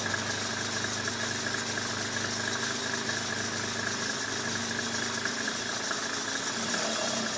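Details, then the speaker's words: 1995 Mercedes E300 diesel at a fast, steady idle with even clatter and no hunting; the idle speed is adjusted too high via the slide on the bolt. "Yeah. Right now it's adjusted too high. You hear the idle's too high."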